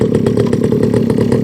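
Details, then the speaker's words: Rebo quad bike ATV just started with choke on: fast, slightly uneven buzzing putter about nine beats a second, lumpy and rich, running rough on choke until choke turned off. "yeah it sounds a bit sounds a bit chokey there's turn off choke that way"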